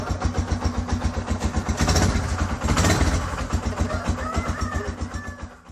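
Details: Yamaha Scorpio 225 motorcycle that would not start after sitting about two weeks, with ignition wiring apparently chewed by rats: engine catches and settles into a quick, even putter with steady firing and no misses; normal start and idle.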